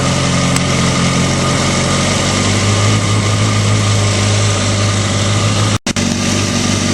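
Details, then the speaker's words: Motorcycle idling smooth and quiet after manual cam chain tensioner adjustment (tightened until chatter stopped, plus 1/4 turn, locknut set); earlier cam chain rattle gone, steady low hum, no top-end rattle. "so that's it right there you can hear the engine A lot quieter before it had a lot of rattle um right now um it's it's very quiet I don't hear the rattling at all"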